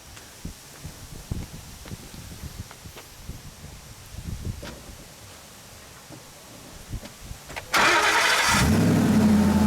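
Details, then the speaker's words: 1969 Ford Mustang Fastback restomod fitted with a brand-new Ford crate V8, basically a 2015, with the Bosch 302 intake kit, started with the hood open; quiet clicks, then it fires at once into a strong, steady idle. Healthy start. "It's basically a 2015. It's a brand new crate engine, and then Ford offers the Bosch 302 intake kit as an option, which we installed."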